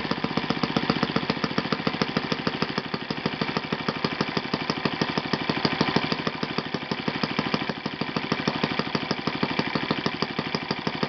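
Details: Yamada (Futaba) YS F 120 four-stroke glow engine on a test stand after a full rebuild (combustion chamber buildup, piston and ring problems), Yamada No. 4 plug, tuned over 3-4 tanks: fast even beat holding steady, no misses or surging; normal running.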